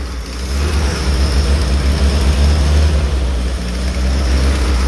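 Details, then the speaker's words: 1946 Willys, long-stored in a warehouse, running only on starting fluid: low, uneven rumble that surges and sags as if starving; fuel delivery problem or bad fuel suspected. "it was straight up brought it out the starting fluid but we got a go and it runs I think it's safe to say we have a fuel delivery issue or just straight-up bad fuel"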